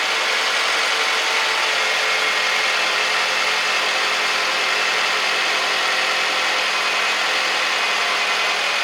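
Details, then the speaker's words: 2007 Toyota Camry 2AZ-FE 2.4 with 186K miles, just after replacing the noisy alternator, charging about 14 volts; smooth even idle with steady hum, no knocks, ticks or whine, normal idle. "All right, everything's good. Alternator's charging."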